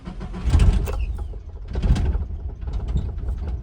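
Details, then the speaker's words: 1991 Nissan Hardbody 4x4 manual pickup, started in neutral using the clutch interlock button: low, lumpy rough idle with uneven stumbles and check engine light on; owner suspects it's firing on only 3 cylinders, an intermittent misfire. "As you can see, we do have a check engine light, and it is idling pretty rough right now. I think it's only firing on 3 cylinders. Like I said, there is an intermittent misfire."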